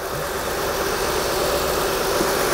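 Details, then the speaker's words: 2004 Acura TL 3.2L, first start after an engine replacement with a flashing check engine light: steady idle with a slightly ragged, uneven beat and faint knocking underneath; a misfire, owner suspects a bad coil pack. "it's alive it's running a little rough and it's got kind of a misfire really not sure what that's all"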